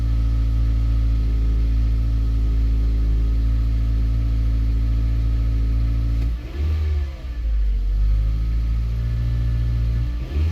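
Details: 2014 Mazda 3 engine misfiring on cold start: a steady low engine drone stumbles and dips unevenly partway through, then the misfire goes away once running; cause not identified.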